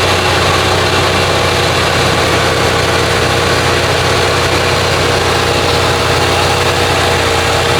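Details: Lincoln Town Car (OBD1) after replacing the idle control valve; idle was about 2,000 rpm before: engine restarts and settles to a steady, even idle around 800 rpm with no hunting or surging.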